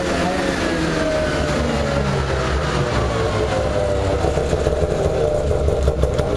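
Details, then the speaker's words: Craftsman DYT4000 jacked up in the garage and run to full throttle: it climbs hard and clean to high revs, pitch rising steadily with no stumble or hesitation. It pulls strong with no bogging. "so I just wanted to figure figured I'd just Jack it up to see how fast it really went and um it went up pretty good"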